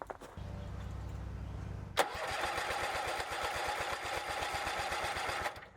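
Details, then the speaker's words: Bolens QT17 single-cylinder tractor, sat for years, first start after oil change, breaker points set, new carburetor gasket and air element: quiet two-second crank, fires into fast even putter about four beats a second; starts normally, then smokes white. "Yes, it started."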